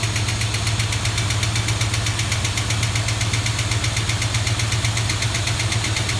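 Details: 1973 Plymouth Duster with 360 V8, engine built about 25 years ago, started cold; steady low rumble and sharp regular ticking about two and a half clicks a second from one intermittently sticking lifter that quiets at full operating temperature.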